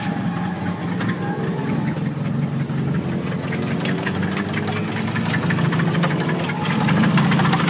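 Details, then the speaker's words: Nissan KA-T turbo engine at a drift day after the manual boost controller popped off, wastegate building boost probably around 20-25 psi, sputtering mid-course: rough idle with uneven heavy knock three to four times a second; detonation damage, still runs. "And so anyhow, halfway through the course, you know, it was just kind of blurbing out and shit. But it still runs."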